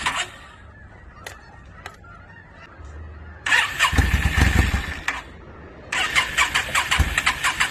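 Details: 2002 Yamaha V-Star 650, newly bought, possibly needing a full tune-up, on choke, rusty gas tank; repeated cranking bursts that catch briefly and die without settling to idle. Hard starting, owner suspects flooding.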